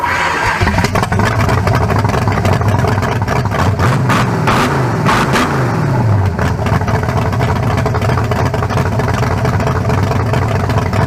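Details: Rebuilt 356 (0.040-over 350) small-block V8 with lower-compression forged pistons and new converter, for a turbo 1974 Nova: settles into a steady, even rumble with no knocks, ticks or misses; healthy engine running smoothly.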